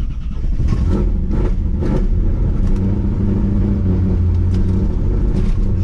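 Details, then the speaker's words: Trans Am V8 restarted after cooling down, ignition control module suspected failing and barely grounded, possibly flooded from cranking: stumbles and surges unevenly under light throttle, lumpy rumble; rough running, misfire-like. "there we go she's not happy oh yeah she's not happy at all so i got the icm just barely touching the ground so i think that's probably why it's all pissed off right now"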